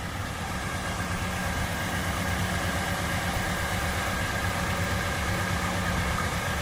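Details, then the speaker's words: 1968 Ford LTD during inspection, engine very hot after about 10 minutes stationary: smooth even low idle, steady hum, barely moving or vibrating, no knocks or misses; normal warm idle. "il bouge à peine, il vibre à peine, mais là c'est tout à fait normal, hein, il est au ralenti."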